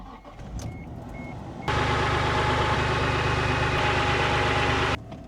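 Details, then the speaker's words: 1994 Isuzu Trooper after replacing the fuel filter to fix a rough idle, fuel pump primed before starting: the engine catches at once and settles into a steady, even idle with no misses. Normal idle. "So far, everything seems to be running smoothly on the trooper."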